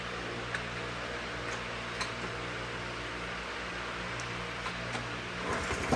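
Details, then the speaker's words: 2007 Honda CT110 idling after the cam chain was adjusted as far as it would go: light, uneven top-end ticking every second or so. It is still a little noisy, so the cam chain is probably slack and the cover may be pulled to check it. "But, it's a little bit noisy. But, these things run forever, so I can't see it having a problem."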